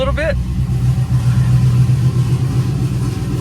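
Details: Pontiac GTO V8 just after its first start-up following overdue maintenance, engine primed beforehand, lots of oil pressure: a brief exclamation, then a steady, even low idle with no tapping; running healthy.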